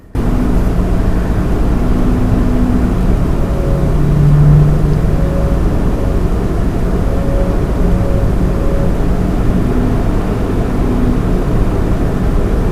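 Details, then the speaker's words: Lian Li 217 INF PC case with stock fans: steady low hum with faint ringing tones persisting even at 10% fan speed, case panels resonating with the fans; cannot be eliminated by any fan setting. "And this sound which you are hearing is happening even on 10% RPM fan speed. Okay? There is no way you can stop this."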